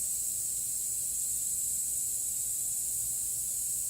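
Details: 2016 Toyota Highlander tire raised on a jack while being plugged with a plug kit: steady sharp hiss with no change in pitch, air rushing out through the open tread puncture; tire puncture air leak.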